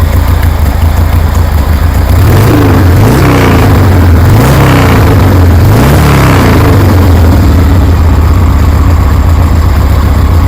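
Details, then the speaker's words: 1973 Harley Sportster with new knockoff Chinese CV40 carburetor, already warmed, no choke: loping twin idle, three quick throttle blips rising and falling cleanly, back to steady beat; running well. "Anyways, you can see it's running real good."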